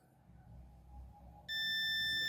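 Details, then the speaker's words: Electrolux MEF41 microwave control board that won't power on, 16 V 470 µF capacitor tested off the board: quiet, then a sudden steady high continuity beep; the capacitor is shorted. "Ah então quer dizer que o curto tá nele"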